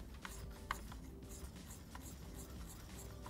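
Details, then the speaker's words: Steam Deck analog thumbstick rolled around: faint dry plastic scratching as the stick shaft grinds against the housing, leaving a black ring; to be fixed by wrapping ASF110 Teflon tape around the shaft. "약간 갈리는 소리가 들리죠 이게 스팀 되게만 있는 문제가 아니고요 웬만한 컨트롤은 싹 다 있다고 보시면 됩니다"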